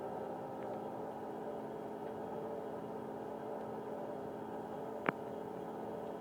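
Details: 1999 Mitsubishi Pajero iO; steady low hum-like whine from engine bay from start to shutoff, worse when warmer and the longer it is driven; temperature gauge stays below half. Mechanics variously suspected alternator bearings, AC compressor or water pump; cause unconfirmed.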